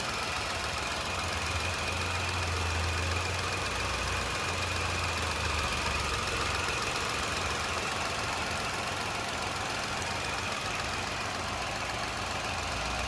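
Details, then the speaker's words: Ford EcoSport petrol, about 20,000 km, non-accident, engine uncleaned: smooth even idle hum with steady pitch and no knocks or ticks; normal idle. "মই এবাৰ start কৰি শুনাই দি আছোঁ আপোনালোকক। এইটো চাওক পেট্ৰল ইঞ্জিন হয় গাইজ, একদম নৰ্মেল"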